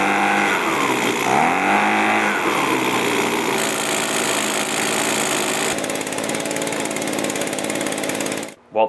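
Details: Echo PB265L backpack blower after the carburetor was replaced to cure an acceleration problem: the two-stroke fires up, revs rise and settle into a steady, even buzz without stumbling, then it shuts off. Repair successful.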